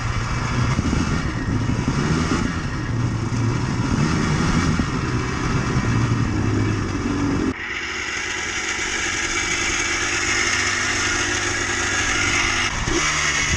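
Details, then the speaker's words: Yamaha Blaster 200 two-stroke quad while riding: revs with a tinny, bell-like metallic ring over the exhaust that worsens as it runs, plus thickening smoke; crankshaft bearings worn out and adjacent seals failing. "The bearings in this quad are pretty much done. There's no helping them. It just gets worse as the machine goes."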